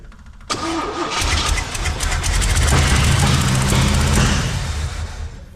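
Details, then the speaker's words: Abandoned 1971 Chevy K-20 started after 15 years of sitting, with vacuum ports plugged and a taste of starter fluid: it cranks, catches and runs rough with irregular sharp exhaust pops; it backfires, suspected burnt valve. "okay it runs it runs she's backfiring though like it's got a burnt valve"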